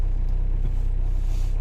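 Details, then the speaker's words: Renault Scenic 3, M9R 2.0 dCi diesel idling just after a cold start at minus five, following starter replacement: even, steady low diesel clatter, no stumbling or missed beats; normal idle. "При мінуспяти завелись."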